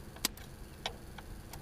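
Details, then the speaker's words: Massey Harris Model 33 tractor after a starter rebuild, in neutral, key on with the fuel pump audible: only a few sharp ticks about every half second to second and no cranking; owner suspects the starter solenoid. "key on I can hear the fuel pump nothing could just be the uh could be my starter solenoid down in there"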